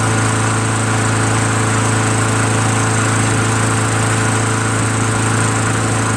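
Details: Craftsman Eager 1 22" self-propelled mower, Tecumseh 5.5HP engine, after carburetor rebuilt from five parts carburetors plus new needle, seat and gaskets and governor adjusted back slightly: steady, even single-cylinder drone, no misses or surging; now starts and runs well, normal running.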